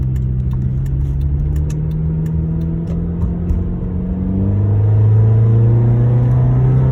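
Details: 2009 Honda Accord engine idling then revving with a steady low drone and a rough, uneven hum underneath; intake and exhaust leak noise.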